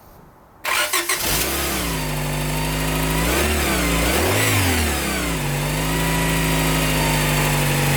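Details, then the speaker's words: Honda Prelude VTi 5th gen, H22A5 2.2 VTEC, first test start after replacing the water pump, seal and leaking hydraulic tensioner: it settles to idle with a rough, uneven rubbing chirp. The timing belt is rubbing the balance-belt idler pulley. "Pour moi, c'est signe que quelque chose cloche. Je constate alors que la courroie de distribution vient frotter contre le galet de la courroie d'équilibrage."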